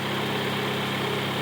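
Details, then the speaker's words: 1995 Honda Prelude SE four-cylinder at idle with new NGK wires and distributor cap: smooth, even low hum with no ticking or knocking; clean, healthy running engine. "look at the engine and here how she purrs very nicely no ticking"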